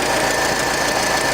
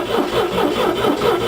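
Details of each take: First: International Scout with carburetor and choke, accelerator pump not working, after a new wire was run from the alternator exciter to the coil because it died off the starter: steady even run with gritty rasp, no misses, still warming; normal running. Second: International Scout with choke pulled and fuel present: starter grinds engine steadily about two turns a second but it dies once the key leaves start; no ignition feed in run position, wire off the solenoid dead.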